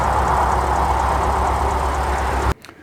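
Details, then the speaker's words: Lexus GS F V8 (2016-2020 model) at idle, 10W-30 oil, pump recall done at about 10,000 miles: faint quick chirping tick from the high-pressure fuel pumps over the rumble; fuel pressure unaffected, dealer says it returns after replacement. "so that's the noise I'm talking about and it doesn't affect the fuel pressure"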